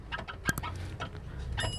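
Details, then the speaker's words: Sharp metallic clicks as the steering knuckle and wheel hub are rocked by hand; the new control arm moves because its mounting bolt has loosened. "Ayan oh tumutunog siya ayan ayan kita niyo gumagalaw Yun oh Actually kayaang gumagalaw kasi lumuwag yung Bolt niya bago to pero lumuwag kasi yung Bolt niya kaya gumagalaw yan"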